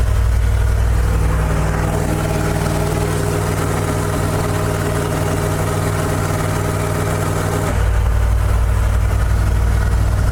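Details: $1,400 auction dump truck started using the choke: a steady, even low rumble with no knocks or misses. It is idling cleanly and running good.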